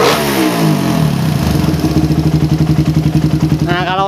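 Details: Single-cylinder motorcycle with a PE 28 carburettor, after a head nozzle change with the air screw at 1.5 turns. The single cylinder revs cleanly and evenly with no stumble; the earlier low-to-mid-rpm hesitation is gone.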